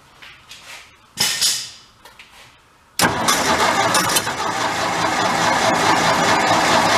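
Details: Vintage air compressor's small engine that stalled when building pressure, test run after tightening the governor adjustment onto the diaphragm: fires after a few weak pulls, then settles into a steady, busy run with no surging or runaway; governor test run.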